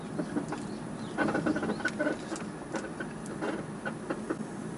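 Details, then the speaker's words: Lowered 2000s Toyota Celsior (UCF31 early) near 180,000 km, 24 years old, heard with window open: faint chirpy squeaks at irregular intervals over quiet road noise, the suspension squeaking over bumps. "窓を開けてると外からキーキーキーキー音が鳴ってるのが分かるんでね"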